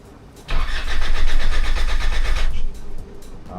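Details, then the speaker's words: 1994 Mitsubishi NJ Pajero 2.8L turbo diesel, unused about two months after overheating, cold start after glow plug cycles: cranks, catches roughly with uneven beat, sags and dies; stumbling hard start, owner says it sucked in air, plans to crack an injector. "Yeah, a bit of a stumble. Mh. Doesn't normally do that. So, it's sucked in some air."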